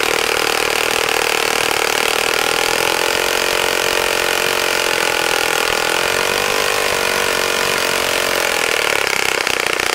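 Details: Saito FA-65 model four-stroke glow engine, first run after rebuild, APC 12x6 prop, Morgan's Omega 10% fuel, Fox Miracle plug: smooth steady high-pitched buzz at high revs, no misses or surging; normal running.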